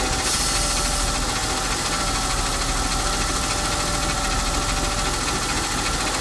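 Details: BMW E36 M52B20 petrol engine cold idle: fast metallic rattle that changes with rpm and fades or stops once warm.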